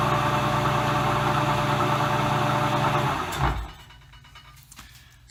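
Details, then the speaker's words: Vintage Dominion Auto-Drive lathe gearbox after an oil change to 15W-40, at its slowest speed with the lathe belt disconnected: even whirring drone with light regular gear clatter, then spinning down; sounds the same as before, normal operation. "that sounds exactly like it sounded before to me the high-speed might sound a little bit smoother it's hard to tell"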